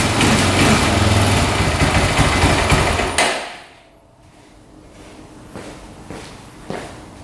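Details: 2004 Honda 400EX single-cylinder quad after carb clean, valve adjustment, new coil, boot and spark plug: revs hard, falls flat and stumbles with sharp backfire pops; still bogs, coil ruled out, cause unknown.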